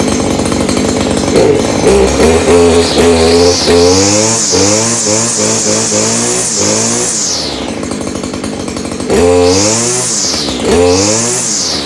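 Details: Stihl KM94R string trimmer after annual maintenance (new air filters, spark plug): small two-stroke buzzes up sharply with throttle, settles back, revs again cleanly; runs smooth and strong after its tune-up.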